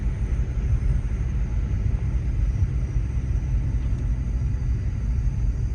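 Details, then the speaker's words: Car after hitting a deer, exhaust damaged: deep, steady, very loud rumble with no knocks or ticks, occasionally cow-like; owner suspects an exhaust leak, not rubbing. "huh the more I hear the more it sounds like an exhaust leak I'm not sure I know it's not rubbing"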